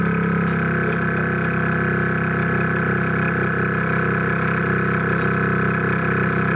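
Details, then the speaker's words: 2003 Mercury Grand Marquis, newly replaced air suspension compressor (old one corroded and very loud), key on, weight on rear bumper: steady even electric hum with constant pitch, no rattles or grinding, quieter than before, then shuts off; working normally. "there it goes okay there it went it took probably two of us to stand on it to make it work sound like it worked and it shut off"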